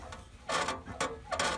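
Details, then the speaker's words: 2004-2009 Toyota Prius, exhaust pushed by hand at the connecting pipe joint (two bolts, donut gasket): three dry squeaky creaks, also when rocking car or over speed bumps, from passenger side underneath. "and basically the problem is yeah well I'll demonstrate it right now if I push on the exhaust system"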